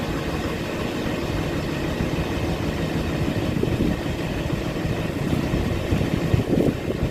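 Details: 2006 Chevy Silverado LBZ Duramax diesel with DSP5 tune, on 3.5-inch exhaust before 5-inch straight pipe install; cold start after sitting overnight in the 20s, now upper 50s: deep, steady clatter settling into even idle, no misses or knocks; healthy cold start.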